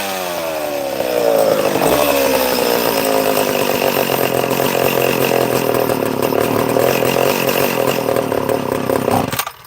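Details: Chainsaw after repair (new flywheel fitted on the "mystery 60"; fuel cap split): winds up and holds a steady, clean high-rev scream with no stumble or air-leak surge; owner thinks it's fixed.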